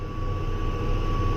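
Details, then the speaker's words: Case 305 diesel tractor disking stubble under load: heavy diesel drone with thin, steady high chirp over it, disappearing when load is removed; cause unknown, owner wonders about turbo wastegate, turbo felt tight with no play. "sound however you hear that little bit of kind like that uh chirpy sound I guess some outside view of it you'll hear it I'm not exactly sure what that is can kind of weird as soon as you put the load on the tractor you'll hear that"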